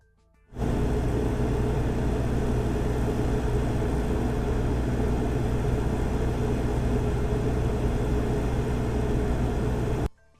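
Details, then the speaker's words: Cummins Quiet Connect 40 kW standby generator with Level 2 sound kit at 100% load, microphones 7 m away in acoustic test centre: deep even drone at constant pitch, muffled hum, no surging or knocking; 6 dB quieter than competitor; normal running. "Both models are rated at 38 to 40 kilowatts and were running at 100% load. First, listen to the Cummins Quiet Connect model with a Level 2 sound kit."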